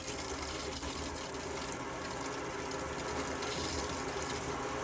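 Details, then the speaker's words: Elddis Autoquest 130 motorhome, hot side of tap drawing water through to fill the boiler before lighting it: steady pump buzz with irregular watery gurgles and coughs as air purges; normal. "so you can hear it's kind of just coughing out a lot of air at the moment that's totally normal but I'm just going to allow it to get up to pressure and just just pump that that air out"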